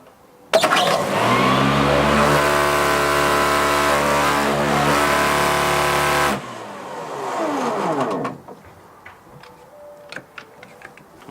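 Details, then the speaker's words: Plugged-in mower with a grass box, checked for a described fault: the motor spins up to a steady high whir, holds, then winds down with a squeak. Owner thinks the belt is loose. Squealing noise. "judging by the squeaking sound it made I think the belts loose"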